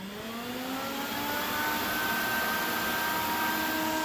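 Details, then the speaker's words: Workhorse chassis auxiliary cooling fans switched on with an IPA 9036-1 relay bypass switch; steady airy rush climbing and settling as the fans spool up, then a smooth even whir, noisy but blowing strongly; normal fan operation. "right I know it's kind of noisy all right so I'm gonna flip on the switch I'm gonna go back inside and show you how much air is blowing out I was really surprised how much air alone those fans can kick out"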